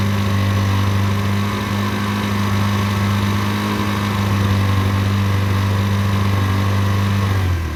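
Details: Derbi 125 single, a former non-runner, after a carb service and fuel tank clean: an even, low idle thump holds steady without stumbling, then dies away at shutdown; it runs cleanly.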